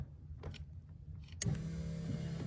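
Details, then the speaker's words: VW Mk1 with CIS fuel injection, fuel pump relay bypassed: sharp click, then the electric fuel pump runs with a steady even low hum, pump working normally. "there you go okay I can hear the pump running I can hear it you guys heard that"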